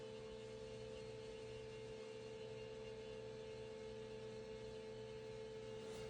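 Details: 2011 VW Jetta TDI Sportwagon 2.0 diesel after fuel filter replacement, pump activated via VCDS, about 30 seconds: steady even mid-pitched hum, no wavering; normal priming, no leaks.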